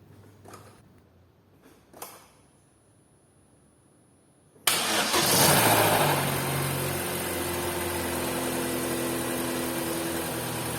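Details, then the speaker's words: 2012 Chevrolet Cruze 1.8 Ecotec, cold start after sitting several hours: brief clatter in the first two seconds of firing, then settles to an even idle; knock absent on restarts, cause unconfirmed. "presta atenção e ganhar na primeira batida de arranque vai dar um barulho uma coisa batendo e depois tipo 2 segundos depois na segunda a batida de arranque já não dá mais o barulho"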